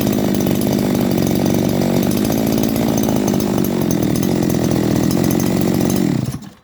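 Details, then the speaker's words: 411 two-stroke brush cutter, previously hard starting and self-revving, idling after carburetor cleaning and replacement of the carb reed plate: steady, even buzz holding one pitch without surging or hunting; a smooth, quiet, normal idle. "เราเปลี่ยนแป้นหลีดเข้าไปก็สตาร์ทเครื่องเดินเบานิ่งเงียบครับ"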